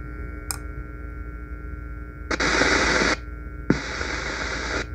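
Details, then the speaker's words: Lexicon MPX 1 (1996) multi-effects unit, right channel, probing pin 7 of op-amp U10: bursts of harsh static hiss over low hum; the op-amp is suspected as the noise source and removed to test. "so basically uh we have noise in here and coming out so i think uh this op-amp may be the problem"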